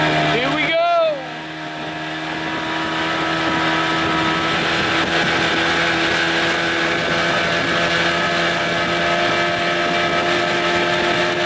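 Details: 1989 Evinrude 25 hp longshaft remote two-stroke outboard after a carburetor swap, at wide open throttle on a windy lake, slow with the canopy possibly holding it back: steady high buzz at an even pitch with no sputter or surging; it runs cleanly.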